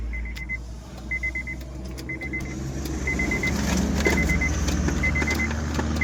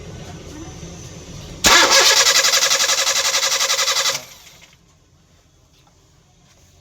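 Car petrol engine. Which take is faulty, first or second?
second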